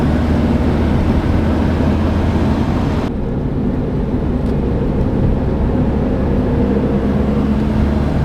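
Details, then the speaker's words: Citroen D Safari after a used muffler was fitted: steady, even low rumble, much quieter than before, no rasp or blowing at the back; normal exhaust note. "Oh, that's much better. Much quieter, and I even gave her a bit of a rinsing off."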